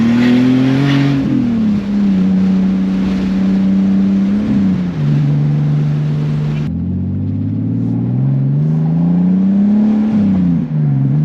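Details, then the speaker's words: BMW E46 330i straight-six with a CXRacing turbo kit, custom 3-inch stainless exhaust with resonator, BeRacing injectors, MAF and tune: strong, even note rising and falling through repeated pulls, turbo whoosh on top, no knocks or misses; healthy acceleration. "One thing I'll say right off the bat, this car does sound awesome. I love it. Straight six sounds good, strong, and then the turbo noises, they're, you know, you just gotta love them."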